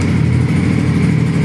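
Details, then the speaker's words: 2018 Honda CB150R 150cc single with 7,000 km, engine and gearbox never opened: a steady, soft, even low idle with no knocks, ticks or misses; normal idle. "นี่ครับตัวเครื่องเดินเบานิ่มๆเลยครับดูเสียงนิ่มๆเลย"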